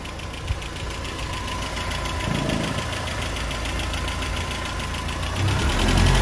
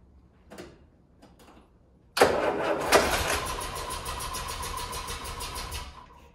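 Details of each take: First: Land Rover Series 3 warm idle without choke after installing a PCV valve: steady, even low rumble with a regular pulse, no stumbling, but it hesitates on full throttle; owner suspects timing/carb reset needed or faulty valve. Normal warm idle. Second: Land Rover Series 3 first start after PCV valve installation: faint clicks, then engine bursts into life harshly, runs raggedly about four seconds and dies; abnormal start, cause unknown.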